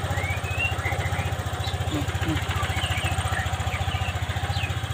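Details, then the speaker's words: Honda Vario 125 FI scooter just after a manual ECU reset (mode 1 setting, DLC jumper removed): low even putter at steady idle, no misses or hunting, faint street noise; idles smoothly, reset successful. "Mesin stasioner enak, coba kita gas."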